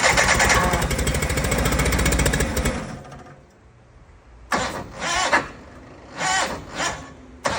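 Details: John Deere 318 left outside overnight, starting at -6 degrees (F): nearly three seconds of steady, laboured cranking, then a few short cranking bursts with no catch; it cranks but will not start in cold weather.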